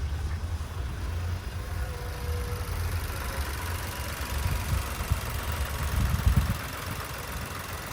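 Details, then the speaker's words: 2010 Nissan March, manual, one owner, never run on gas, petrol engine: low, even, quiet idle hum with no knocks, misses or squeals; running smoothly. "เดินเรียบเดินเงียบเลยนะครับ"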